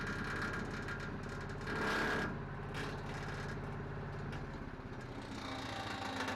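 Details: Petrol wood chipper with dented housing, likely from a rock between blade and housing, retested after blade sharpening: steady engine drone with an uneven rattle on top, sounding like something stuck; vibration not yet fixed.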